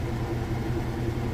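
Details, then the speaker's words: Whirlpool washer with a heavy jeans and towel load, final spin at top speed: deep steady rumble, no thumping or banging; running smooth and balanced. "smooth operation it sounds great so we'll let that finish happen"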